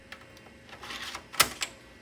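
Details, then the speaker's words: Compaq/HP translucent early-2000s desktop, floppy drive test while booting to DOS: a few sharp ticks then a short buzzy stepping burst before going quiet; normal floppy drive seek, drive reads and writes. "sounds like it's working and yep made it to Dos"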